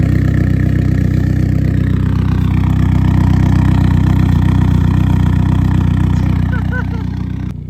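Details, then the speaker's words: eBay turbo Sonata with straight-pipe exhaust, first start after nearly three years not running, following new spark plug wires and fuel line repairs; steady, smooth idle with even exhaust pulse, no stumbling or misfire, then winds down; normal idle. "wow it runs perfectly it's so smooth seems good to me it's alive"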